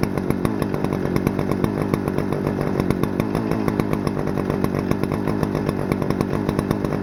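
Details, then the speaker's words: Stihl FS-250R 40cc two-stroke trimmer after carb rebuild kit, 50:1 ethanol-free fuel, setting high-speed screw at full throttle: steady high pitch held cleanly, no bogging or surging, revs very high; normal full-throttle run. "Set the high idle screw while it's running on full throttle. Nice. Alright, well, it runs great. Boy, that thing revs pretty dang high."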